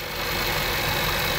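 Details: 2013 Jaguar XJ with lean codes P2187 and P2189 on both banks, idling after a vacuum leak at a valve on the right valve cover was plugged: an even, smooth idle with no sucking hiss or whistle, intake now sealed.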